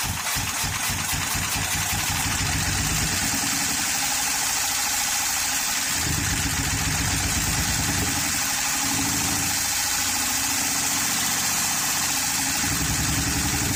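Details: 2013 Honda Pilot J35 V6 with bent valves after jumped timing belt; uneven stumbling idle with irregular chuffs and hiss, struggling to stay running, possibly flooded cylinders, no compression. Rough idle.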